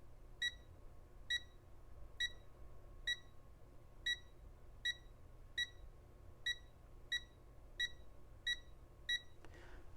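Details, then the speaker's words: Rotel RSX-1067 receiver, known-good rotary encoder (24 pulses per revolution) tested with multimeter continuity beeper over a half turn: twelve crisp, evenly spaced beeps, none doubled or missing; a properly functioning encoder. "that's a half a revolution you can see it's now at 12 o'clock and I don't know if you counted but it was exactly 12 counts so this is a perfect example of what an encoder should function like"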